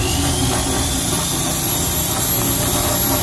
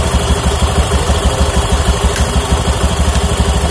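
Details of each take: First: Honda Beat FI scooter in for air filter and CVT service, before repair: a tinny, irregular but constant jingling rattle ("ngencreng") rides over the engine drone; loose, chattering CVT clutch. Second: Honda Beat FI scooter after CVT service, clutch noise gone, drive belt kept: even idle beat around three pulses a second, light underlying roughness but no loose rattle; normal idle.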